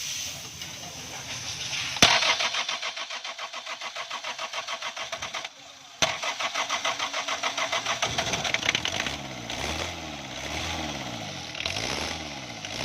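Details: Diesel engine after fixing hard starting, weak pickup and changed sound by turning the injection pump toward retard and tightening the 12 mm pump bolts: cranks, catches and settles into a steady, even idle clatter with no misfire; starts properly now.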